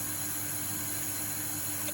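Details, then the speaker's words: Grundfos Watermill shower booster pump, about 5 years installed, refitted after being freed from seizure. A steady electric hum with a high whine runs briefly, then cuts off as it repeatedly repressurizes, twice in a minute; short cycling, cause unconfirmed. "where it continually Tred to repressurize itself so that's twice in a minute now it's done that"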